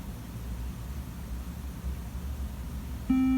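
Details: Late-2015 iMac: quiet hiss, then a steady high beep near the end as it beeps instead of starting up; cause unknown.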